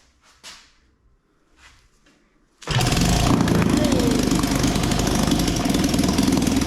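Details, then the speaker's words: 1956 Firestone 3.6 hp outboard, first run after sanding the points and priming gas down the cylinder: fast even two-stroke crackle with no misses; running normally. "well as you saw we got her going which I'm really happy about because that means I can do a restoration video on this"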